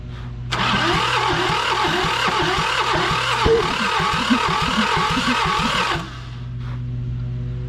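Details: John Deere 650 subcompact tractor, two-cylinder Yanmar diesel, sat 15+ years, oil poured into cylinders to raise compression: starter churns about four beats a second without catching; crank no start.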